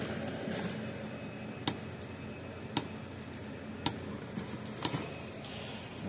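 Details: Gallagher M800 fence energizer after repair, epoxy still curing; sharp clicks about once a second over quiet room hum, regular discharge pulse of a working energizer.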